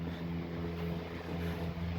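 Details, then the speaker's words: 1910s desk fan just after lubricating: steady low hum, smooth even drone with a slight siren-like tone, no rattle or scraping; motor running freely and healthy. "Sounds like a siren a little bit. There we go, that's perfect, that's how it should be."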